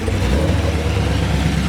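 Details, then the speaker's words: Cammed Chevrolet Camaro SS V8 restarted after resetting codes, following a roadside stall with reduced engine power, StabiliTrak and check-engine lights; fuel smell noted, owner suspects injector. It gives an even, deep idle with lumpy cam burble, no misses or knocks, holding steady: idling fine. "Idling fine."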